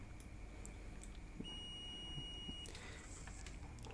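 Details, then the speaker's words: Multimeter (avometer) in buzzer/continuity mode for laptop repair: one clean, steady high beep just over a second as the probes are touched together; normal continuity signal. "Oh ya, yang namanya buzzer itu atau dioda mode itu ketika probe-nya disatukan itu akan terdengar bunyi buzzer. Nah, seperti itu."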